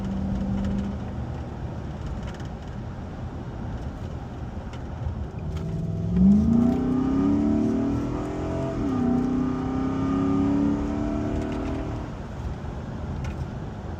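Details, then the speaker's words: 2010 Nissan Armada V8 after installing a used K&N cold air intake: engine blips up from idle with a deep rising roar and falls back cleanly twice, smooth with no knocks or rattles; normal revving that sounds better than before the install. "Now that sounds a lot better. You can hear the engine itself in its rawest form. Just by adding a simple cold air intake can make a big difference."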